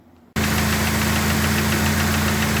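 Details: Dodge Neon race car with a replacement engine, warm idle after a coolant temperature sensor swap: light, quick, even ticking over the engine. Valve train noise persists despite all the valve gear being changed; cause unknown.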